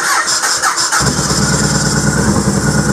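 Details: Yamaha Road Star Warrior V-twin starting after its dirty starter button was cleaned with sandpaper; starter whirs about a second, then catches cleanly and settles into a steady potato-potato idle.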